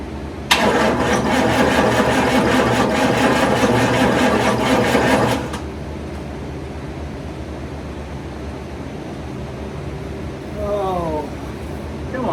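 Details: 1991 hearse with rotted fuel system, fresh 2.5 gallons of gas and a new fuel filter: starter churns the engine at an even pace for about five seconds without catching; cranks, no start.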